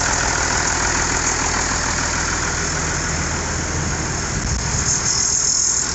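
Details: IH 5288 tractor diesel at first start after finishing touches, injector lines bled with fuel to at least four: even idle clatter with airy fan noise on top, no misses or heavy knocks, better than in years; normal idle.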